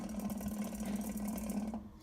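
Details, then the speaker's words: Early-1980s 52-inch FASCO first-generation Charleston ceiling fan on medium after stalling on low: steady low hum with faint buzzing chatter, switch housing vibrating; owner suspects motor shaft/flywheel, light kit fully tightened, bearings chatter and need work. "that humming noise you're hearing is the banana fam something is making the switch housing vibrate I think it might be the motor shaft with a flywheel but"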